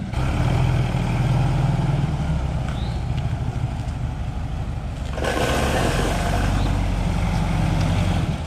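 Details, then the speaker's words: Porsche 914 with freshly installed 2-liter air-cooled engine after cold start: steady low burble holding an even idle, no knocks or misses; healthy fresh engine, normal cold idle. "gopro's firing up we're going to do a cold start on this motor"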